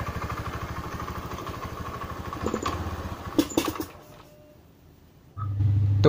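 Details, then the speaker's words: Honda Beat FI scooter with a weak fuel pump: with fuel pressure dropped to 30 or below the engine putters unevenly, fades and cuts out after about four seconds. "tak turunin lagi ya tekanannya memang bener-bener full Pami apa bukan kita turunkan ke-30 ke bawah lah baru kita coba lagi"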